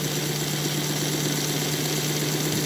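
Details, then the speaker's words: NGS Northern clone chassis with extended K5 tender, all-wheel pickup, pressed-on wheels, running at 50% power: soft steady motor hum with light wheel whir, gear noise gone, no clicks or binding; smooth, quiet running. "But if you listen, all you hear is the worring of the wheels. The gear noise is gone. The WW is gone. It's just hunkered down and flying is what I'm thinking."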